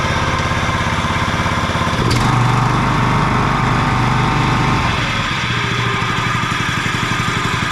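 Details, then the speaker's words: John Deere 14SB mower, first start after sitting, new fuel line and filter, 10W-30 oil: loud steady run with a rough, uneven rumble; bad blade brake clutch bearing noise, later fixed with 6205 bearing. "I'm hearing a bearing noise. I I bet you the bearing I don't know if there's one or two bearings for that uh blade clutch, but those sound like they're not doing so good."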